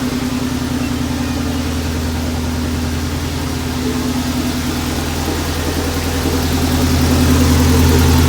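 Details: Honda H22 stroker (H22A1 block, H23 crank and rods, H22 Nippon pistons, H22 head, dual valve springs, stock cams, 1320 hood-exit header) first start in a long while, check engine light on: steady, even idle, firm exhaust pulse, no knocks.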